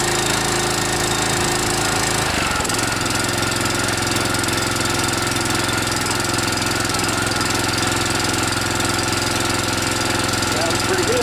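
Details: DR TR-1 walk-behind trimmer, Kawasaki FC150V 6.75 hp engine, after carburetor cleaning (main jet, slow jet, float needle) following long storage: catches after a couple of seconds, then steady even buzzing idle, no misses or surging; runs clean.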